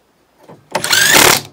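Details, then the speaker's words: Small Makita 18V impact driver driving a screw into wood: a short buzzing burst of rapid hammering once the screw seats, the normal impact sound signalling the fastener is tight. "See, did the same thing. That's that noise, noise you get to let you know this."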